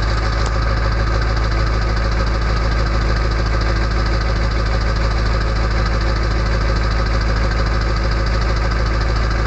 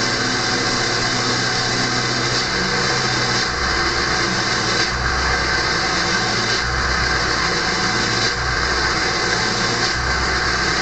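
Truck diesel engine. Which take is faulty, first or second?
second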